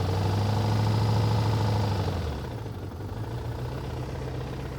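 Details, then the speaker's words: Car that got rain in its modified intake, revved to redline: rough running with a rapid beat near four per second, then the note sags and goes ragged. Sounds unhealthy. "she just took a red line it see if it'll good well I don't think it's supposed to sound like that"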